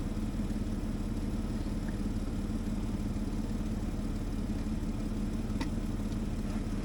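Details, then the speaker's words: Caterpillar D7H Series 2 dozer after long storage, about −2 degrees, battery recharged, fuel finally reaching the cylinders, with starting fluid: heavy, slow chuffing about twice a second with deep rumble. Diesel struggling to catch. "So, as you could hear there, we finally got fuel up into the cylinders. It's trying to start now."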